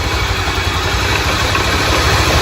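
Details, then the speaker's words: Single-cylinder motorcycle just started after its valves were cleaned; compression has risen. Holds a steady, even idle with a firm low thump and no misses; running right. "Não é que segurou mesmo? Milagre, hein? Milagre."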